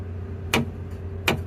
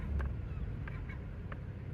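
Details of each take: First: 2016 Toyota Tacoma rear end: two sharp metallic clunks when braking to a stop as the axle rocks, caused by a rear air bag bracket held by only one C-clamp moving on the leaf spring, even at 50 psi. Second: 2016 Toyota Tacoma on a test drive, braking to a stop after the rear air-bag lift kit was worked on as the source of the rear clunk: only soft road rumble and no knock from the rear; the clunk is gone, though the lift kit now holds no air.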